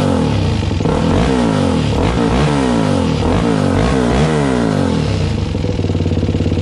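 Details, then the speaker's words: Suzuki LTZ400 single just started with choke after valve clearance adjustment, oil not yet changed: loud dry ticking clatter over fast idle and blips; valve train still noisy, owner wonders if it needs warming up. "it's still sort of noisy that's still rather noisy ain't it i think that's still sort of noisy you guys"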